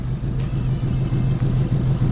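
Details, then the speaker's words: Opel Corsa 1.4 petrol, parked about 2 months, dead battery, around -1 °C, just jump-started with a LiPo starter; settles into a smooth even low idle, no knocks or misses; started easily, running healthy. "It started quite easily."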